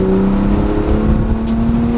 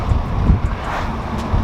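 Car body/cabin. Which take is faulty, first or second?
first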